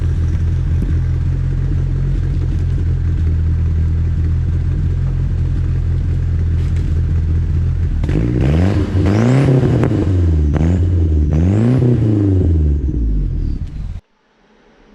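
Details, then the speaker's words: Merkur XR4Ti after the exhaust was refitted, following fuel pump, filter and boost controller upgrades; even idle then a few smooth throttle blips, muted sealed exhaust note, much quieter than before, no leaks heard; normal exhaust note. "Alright guys, the exhaust is done. Let's see what it sounds like now. Oh, so much quieter."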